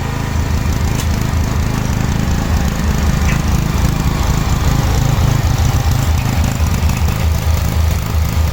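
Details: 1986/1987 Cub Cadet 1106 riding tractor, sat over 4 years, during drive function test: low lumpy engine note with uneven stumbling firing, rough running; owner suspects dirty spark plug, though plug later looked not too bad.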